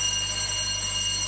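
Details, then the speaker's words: 1924 Alexanderson alternator transmitter at Grimeton Radio (SAQ), 200 kW, main power just switched on before start-up: constant rapid electric bell ringing without a break, the interlock alarm for no oil pressure and no cooling water. "and now you can hear that we have an alarm bell that rings and the alarm bell is telling us that we have no oil pressure and we have no water cooling"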